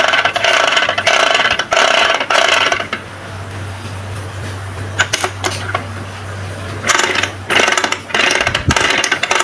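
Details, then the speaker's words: Vespa PX 150 gearbox, whose owner complained it jumps out of 4th and the kick-start slips, turned by hand after fitting a new kick-start gear. Irregular scraping and rattling shows a misseated part grinding the gears. "Nah, kedengaran enggak, Teman-teman? Berarti ini ada problem ya, Teman-teman ya."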